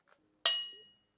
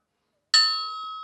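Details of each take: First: Porsche 356 SC non-counterweighted crankshaft suspended on string, hammer-tapped: thin high ring fading within half a second, 2890 Hz versus 1280 Hz for the other crank; sounds dull, should be checked for cracks, cause unconfirmed. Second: Porsche 356 SC engine rebuild: the counterweighted crankshaft hangs on a string from a drill press and gets one hammer tap. It gives a clear bell-like ring of about 1280 Hz that fades slowly, so the crank rings true.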